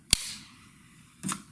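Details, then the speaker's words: Daisy 880 Powerline pump air rifle (2021), new, being pumped up to ten pumps; two sharp, dry pops a second apart, one per pump stroke; stiff new pump popping expected to go away with wear. "pump there's one you'll hear and you guys hear that popping noise that'll go away after a while you'll start wearing it down"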